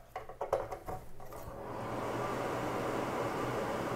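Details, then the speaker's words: Broan-Nutone 684-D/2684F-A bathroom exhaust fan after motor replacement, reinstalled: after handling clatter it settles into a soft, steady, even whoosh with no rattle or hum; quiet, normal running. "hey i like it all right put our grill back on quiet bathroom fan"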